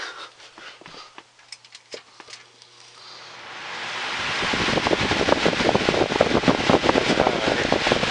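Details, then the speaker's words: Cheap Galaxy box fan after its faulty speed switch was replaced: it spins up to a steady airy whoosh with even blade flutter and no rattle or scrape; the motor runs normally, needs no oil, and has a good spin-down. "doesn't need oil it's got a really good spin down still as you can see"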